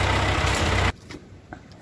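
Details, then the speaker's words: Ford 8N tractor after carburetor rebuild and governor adjustment, revved while setting the main screw, which ended at one turn out with the low screw at about three-quarters, slightly rich. Strong, even rev with no popping or stumbling, the best it has run; normal running. "well that is the best that's ever ran Maine was still right at one turnout the low ended up being about three quarter so that's fine"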